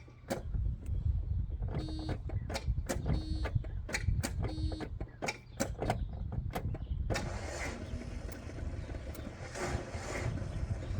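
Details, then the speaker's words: 1992 Volvo 460 turbo, first start attempt after engine removal and a manifold gasket change, battery good: the starter turns sluggishly in short labored bursts with clicks between tries. The owner suspects a bad switch contact or a failing ignition relay. "starter motor is slow so I think we've got an issue with a switch but then other times the start are all start up fast so yeah we've probably got bad contact on a switch somewhere or the ignition relay is on its lowest legs right"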